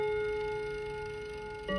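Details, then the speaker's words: Westminster chime mantle clock (Kienzle, German), after lubricating the movement: clear bell-like chime notes ring and slowly fade, the next struck at about 1.7 seconds; it now chimes, but the notes are out of sequence. "so i think now we can say the clock is definitely upgraded it's now just about reached the status of eric and we all know what that means ready after three all right now it's but not necessarily in the right order but we'll call it progress for now"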